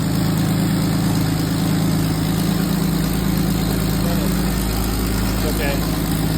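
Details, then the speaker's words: 1934 Dodge Peter Pirsch fire engine, unrun for years, new coil and fuel tank, very thick oil: low steady idle with even rumble, no knocks or ticks; engine sounds good internally. "she runs pretty good the engine sounds good internally I don't sense any problems"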